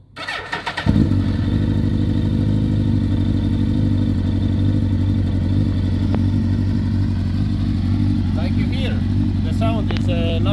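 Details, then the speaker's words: Suzuki GSX-R1000 started after sitting one month: fires into an uneven, lumpy idle with a loping twin-like beat; first cylinder dead, three working. "right now the three cylinders are working but the first one is not"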